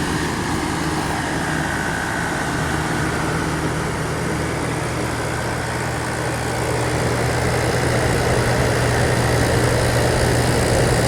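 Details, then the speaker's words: 1983 GE Carry Cool air conditioner, R-22, fan motor oiled and cleaned: steady low hum under an even rush of air blowing cold, no rattles, squeals or cycling; normal running. "Sounds good. Oh yeah, nice and cold. Smells really nice too. Just clean."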